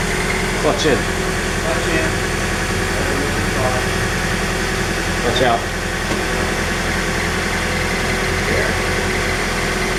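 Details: 2009 Scion xD petrol engine idling, clutch out, with short, high chirps popping up irregularly every few seconds over a steady hum.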